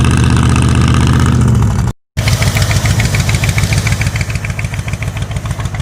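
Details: 1985 Ford Bronco (title says 1986), pasture find, first start in 8 months after puking coolant from an exhaust pipe; oil squirted down the cylinders. Lumpy, loping idle about three beats a second, stumbling revs; running on about six cylinders. Cause not confirmed.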